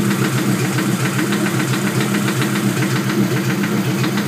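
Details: Honda LS with VTEC conversion, steady sharp deep knock about 2.5 beats per second at idle; owner suspects rod knock, unconfirmed.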